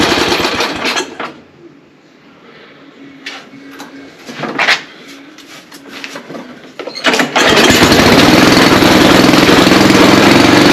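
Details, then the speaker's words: Ariens ST824 snow blower, 8 hp engine, hard starting; after fuel finally reached the carburetor, started at idle: handling clanks, then the engine catches and settles into a steady even buzz; it runs, though carburetor still to be inspected. "all right it looks like I need to peek inside the carburetor but it did run"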